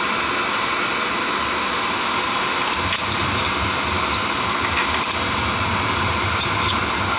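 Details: Home oil boiler burner with the control jumped out, bled at the pump to check oil flow after a suspected dirty tank filter: a loud, steady roar from burner and blower with no surging or sputtering. Good flow, firing normally.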